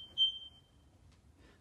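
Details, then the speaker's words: Smoke alarms during a new-house life safety inspection: one short, thin high chirp then near silence instead of a continuous alarm. The alarms detect smoke but barely sound; only the downstairs unit works, and they are to be replaced. "I don't know if you can hear that but they're trying to make noise they just don't"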